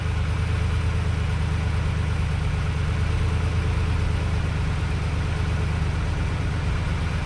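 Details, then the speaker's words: 2011 GMC Sierra 1500, 110,000 miles, first start after swapping in a junkyard engine for the seized one: deep, even, quiet idle with steady low rumble, no ticks or knocks, good oil pressure; normal idle. "But How about that? It's quiet. Look at that."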